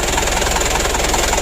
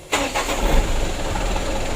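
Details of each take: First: Mitsubishi Canter 136 PS HDL diesel truck after hard-starting and fuel-in-oil repair: now starts easily; loud raspy idle with even puffs about five a second and a harsh edge from a rusted-through, leaking muffler. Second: Mitsubishi Canter 136 PS HDL diesel truck, after fixing hard starting and diesel mixing into oil (plunger work), idle set 600–700 rpm: starter spins briefly, engine catches almost at once and settles into steady, even idle; normal easy start.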